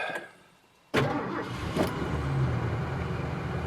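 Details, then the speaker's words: Cougar with 82,000 miles and a bad wheel bearing: engine catches quickly after a short crank, then settles into a slightly wavering idle; owner says the idle still needs fixing, cause unclear. "thought i'd take her for a drive here see where we're at yeah next thing is i gotta fix that idol something right there"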